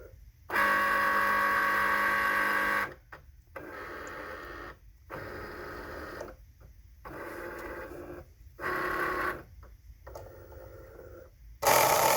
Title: Grinding Noise (Cricut explore air 2)